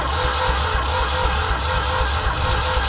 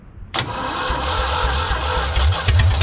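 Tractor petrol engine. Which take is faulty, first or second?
first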